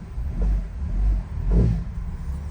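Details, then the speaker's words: 2004 Honda CR-V after replacing worn engine and transmission mounts (broken bushing): low engine rumble and throttle blips in gear, no clunk or jerk on engagement. "pretty good yep no more clunking noise"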